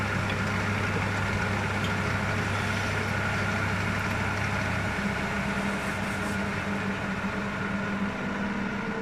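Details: Wood lathe turning a hornbeam platter, after an undisclosed earlier fault was found and fixed: steady low even hum that drops as it spins down, no knocking or rubbing; normal run and wind-down.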